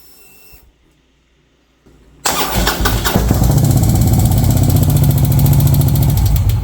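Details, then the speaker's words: 2014 Harley-Davidson Touring Twin Cam at first start right after rocker box gasket replacement: starter, then a fast, even metallic clatter over idle; engine shut off immediately. Valvetrain clatter. "well not really what the heck is that noise well guys the last thing i expected when i hit that starter was to hear a noise like that"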